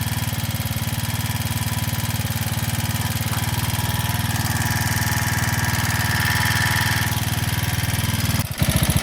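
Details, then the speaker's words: Janus Halcyon 250 single-cylinder with new 28mm Nibbi carburetor, after idle adjustment: steady, even putter at smooth idle with no misses or hunting; target idle about 1500–1600 RPM, idling cleanly. "Got the bike idling extremely well. I'll show you how sensitive it is to the idle screw here."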